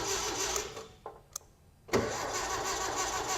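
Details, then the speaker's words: 1961 VW Beetle barn find, old starter reinstalled after cleaning the ground and bolt: brief delay, then it cranks the engine steadily with an even churn. Normal cranking; battery confirmed okay, replacement starter judged probably shot. "And that's the old starter. That's the old one. And now it's going. It's delayed for a second."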